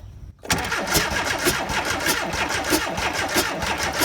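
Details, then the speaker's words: VW Vanagon Westfalia engine cranking. Starter turns about three chugs a second, uneven, never firing. Owner suspects insufficient fuel pressure; cause unconfirmed. "okay uh that didn't work of course I might not have enough pressure to really do anything with it"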